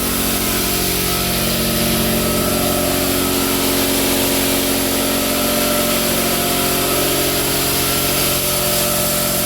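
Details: Newly installed Quincy 5hp two-stage air compressor, building pressure until it cuts off near 168 psi: loud, constant pumping drone with steady rhythm and even note, no knocks, squeals or labouring; running healthy.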